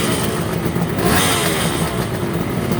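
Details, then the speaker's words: Kawasaki 350 S2 two-stroke triple after workshop work, about to return to owner: crisp, even two-stroke burble revving cleanly with no misses or rattles; healthy triple running sweetly. "Well, there you go, that's a nice sound. 6 cylinders, a 2-stroke all at once."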